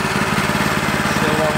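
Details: New Harbor Freight Predator 212 single-cylinder in a 1960s go kart, on first run with fresh oil during the warm-up/break-in cycle: even, steady chuff with no knocks, misses or surging; normal idle.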